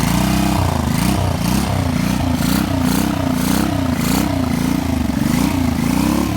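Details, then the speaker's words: 1985 Honda VT 500 V-twin being parted out: engine thumps unevenly but steadily, throttle blips rise and fall cleanly with no misses, and the pipes are audible; carburetor is clean inside and the engine runs healthy. "really what this was for is just to show you that the carburetor is good and cleaner on the inside than it is on the outside, and also the engine, and it runs."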